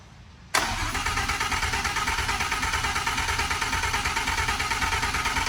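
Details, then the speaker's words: Second first-day start of project car's V10: starter catches and engine fires straight into busy, even idle that settles and holds; healthy start. "wow wow that's exactly what i thought it might do it sounds like i thought it was going to sound like holy but that's way louder than i expected"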